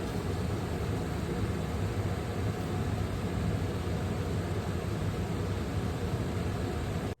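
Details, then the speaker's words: Ducted Furrion rooftop RV air conditioner on quieter setting with cold dump, before installing AC silencer: loud steady roar of rushing air and low blower rumble, normal operation. "here's what our AC sounded like before on the quieter setting with the cold dump"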